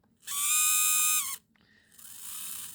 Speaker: I noticed that the motor on the um how can I say the tilt is making a really loud noise. So when you go left and right, that seems to be also quite loud, but not as loud as the up and down, which is you can hear that there.